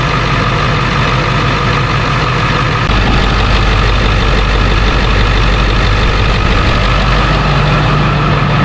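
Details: 2001 Ford F-350 Super Duty 7.3 PowerStroke after installing a new serpentine belt: steady, even diesel clatter at idle with no squeal or chirp from the belt drive; sounds normal.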